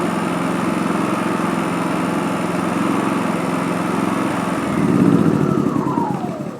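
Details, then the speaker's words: WEN 4500 generator with extended-run fuel kit, running entirely off a remote tank, fuel selector valve moved to off after starting on choke: steady, even engine drone with constant low hum, no misses or surges, then winds down; normal running. "When you've got it started up, move it all the way to the off or auto off position, and now it's running off the remote tank entirely."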